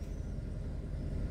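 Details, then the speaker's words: Warm Kia Cerato 1.6 automatic in reverse after a new disc was fitted to cure an under-hood knock that wasn't the engine: steady low hum, knock gone. Normal running in reverse. "ничего не слышно дэшка По сравнению с тем что было Ну стук ушёл"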